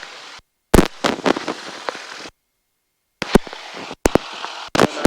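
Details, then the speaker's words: Irregular sharp pops and crackles with brief dropouts over a hissy aircraft intercom line during a flight lesson. The pilot suspects their own headset is causing the crackling. "uh I can hear you is it kind of crackly or I I'm hearing some crackling yes I don't know if that's from you or where that's coming from I think that's coming from me my headset"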